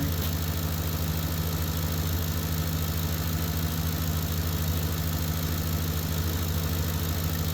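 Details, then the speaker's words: Ford F-150 at steady idle with heated seats, blower and headlights switched on after field and communication wires were replaced: faint high whistle from the alternator, charging and holding normally under electrical load. "you hear the little bit of whistle in that alternator it's working but it's holding"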